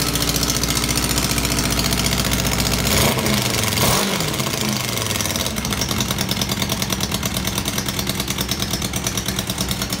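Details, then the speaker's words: Honda CB600 Hornet F3 idling, before repair: sharp rapid puffing ticks over idle quickening with a blip; massive exhaust leak, seemingly at one collector, heavily rusted studs, later traced to PAIR valve link pipes. "very clearly as a massive gasket leak massive massive it seems like is only one of the collectors that is actually leaking"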